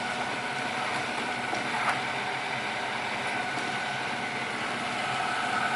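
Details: Miele RX1 Scout robot vacuum after board and brush motor replacement for F4 error, floor test run: steady, even whir of suction and brushes, no knocking, grinding or hesitation; running normally.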